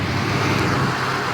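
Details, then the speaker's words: 1975 Chevy C10 Silverado, 350 V8 with 350 Turbo transmission, freshly rebuilt carburetor, after 15 years sitting: steady, even V8 burble with no misses, knocks or hunting; idles smoothly and healthy. "listen brian done a bang-up job on that carburetor he rebuilt the carburetor for me man this old truck runs good"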